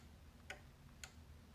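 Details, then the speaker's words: Rabbit cable converter running on 9-volt battery: crisp single clicks about every half second as channels are tuned; beefy relay switching normally. "That's a beefy sounding relay in there. Listen to that."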